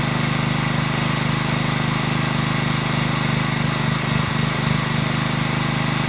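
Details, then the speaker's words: Small-engine pressure washer after cleaning the carburetor's internal pilot jet to cure surging: steady, even idle with no rising and falling, hunting or waffling; runs smooth and healthy. "night and day runs absolutely smooth no surging no hunting no waffling no RPMs going up and down it runs nice and smooth"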